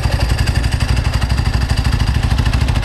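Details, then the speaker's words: 1995 Ducati 900SS SP carbureted V-twin with open belt covers, started warm: fires straight up into a loud, lumpy, even idle with a strong low thump and no rattles; healthy warm start. "Let's fire it up. So this is how it starts when it's warm."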